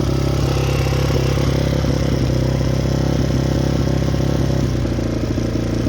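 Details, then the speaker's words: Yamaha Raptor 660 ATV, freshly rebuilt engine, smoking: rough uneven single-cylinder running around four beats a second, never climbing to clean high revs; will not rev out, suspected safety switch or re-jetting problem. "We got like a safety switch or a re-jetting problem. Something's not letting it rev out."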